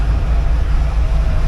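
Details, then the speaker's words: 1982 air-cooled VW Vanagon Westfalia, restored engine being run in while driving around the property: a loud but even low rumble with no knocks or misses; noisy, which insulation in the rear may improve, otherwise a normal-running engine. "so far it sounds all right noisy beast but I think that'll get better if I put an insulation into the back there"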